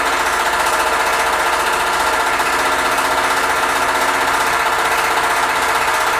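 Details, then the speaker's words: Freshly rebuilt Ford tractor at first start: steady running with fast uneven rattle about four ticks a second; fan hitting the shroud plus a belt squeak. "um when i was starting it up uh two issues presented themself right off the bat you can kind of hear both of them in the the video um the fan was hitting"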